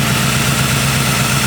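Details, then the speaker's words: 1940 Ford Tudor street rod V8 after new torque converter, vacuum leak fix, fouled-plug fix and carburetor bowl adjustment: smooth even idle, steady low rumble, no misses or hunting; normal idle. "but now we're run just top there's no hesitation in it in anymore that's all been worked out"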